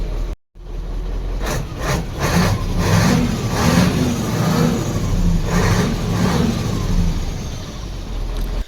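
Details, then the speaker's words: Mercedes-Benz that only clicked on starting, after reconnecting starter wire and tightening battery cable: engine catches and runs steadily, clean rev blips settle with no knocks or misses; healthy. "ये देखिए पहले टक टक कर रहा था। अभी देखा तो सेल्फ स्टार्ट हो गया है। देखिए सही हो गया है।"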